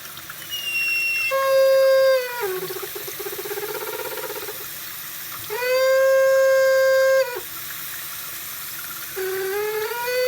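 A loud whistling squeal of a few seconds comes and goes over the running water, shifting in pitch: a squealing kitchen faucet.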